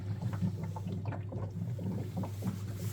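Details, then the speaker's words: Vokera boiler with A01 ignition fault: during ignition, irregular bubbling gurgle over a low fan hum as condensate water backs up into the heat exchanger, preventing it from firing up. "when it's going through ignition process, right, can you hear all this gurgling? Well, that's a clue. So basically all it is condenser water backing up into the heat exchanger."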